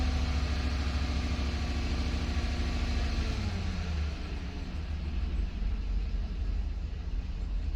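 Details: 2018 Chevrolet Suburban LS V8 after overheating, one-bank misfire codes, check engine light on, melted intake leaking near cylinders 6 and 8, exhaust leaks: deep lumpy rumble stumbling as revs rise and fall; misfire, cause unsure whether intake leak.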